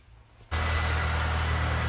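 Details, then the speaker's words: Honda Stream K20A after replacing the connecting rod bearings and polishing the crank to fix a knock on throttle lift-off: steady, even idle with a smooth low hum and no knocking or tapping; the lift-off noise is gone. "постели двигатель посторонних звуков в работе не слышно также пропал звук при сбросе газа на какое-то время хватит"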